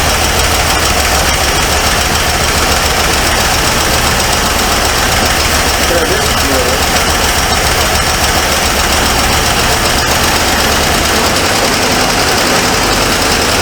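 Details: 1978 Ford Mustang II with Ford 302 V8, first start after revival: steady idle with a light, fast tick keeping pace with engine speed; owner suspects a collapsed lifter letting a pushrod slam, not confirmed.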